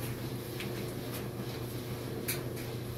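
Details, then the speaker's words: 16-year-old dryer, loaded, after replacing all four worn drum/door glides: steady low hum and soft tumbling taps, drum spinning nicely with no squeal, rubbing or earlier squeaking. "well the drum appears to be spinning nicely i don't hear that squeaking sound i heard earlier"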